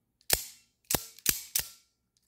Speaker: you hear that that's springy sound that doesn't mean that there's anything wrong with the knife it's just the Acoustics are resonating from the inner Springs that deploy the the knife in both directions